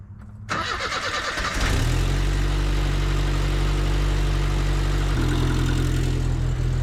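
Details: 1979 Chevy LUV project truck with carburettor, recently revived: cranks, catches and settles to a lumpy idle with a quick tick tied to engine speed, from a leaking exhaust manifold, not the engine.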